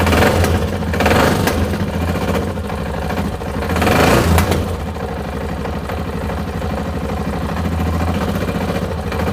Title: Tenere XT660Z Engine Knock